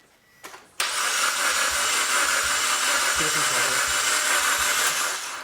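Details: Suzuki Jimny with a used engine sold as fully tested, first start attempt: starter spins fast and evenly with no slowing on compression strokes, a light free whirr; engine cranks with no compression.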